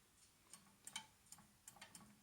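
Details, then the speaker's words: Harrison mill gearbox during disassembly: spindle slowly turned by hand gives sharp, uneven metallic clicks, about three a second, with detenting springing back; cause to be checked once the spindle is removed. "you can hear it clicking as well can't you right so that's something that we can have a look at um when we take the uh the spindle out anyway"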